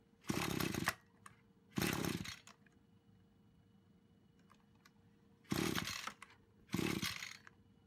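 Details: Brush cutter after repair of a fuel leak from a split fuel hose that had stopped the engine while mowing: clean, crisp revs in short bursts, dropping back to a quiet steady idle between them; runs healthy.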